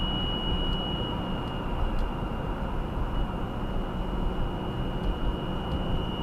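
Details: 2018 Subaru Outback 2.5i Premium, 28K miles, cold start about 10°F: thin, steady RPM-dependent high-pitched whine over engine and road rumble at cold idle and light throttle, stops off throttle; source unknown.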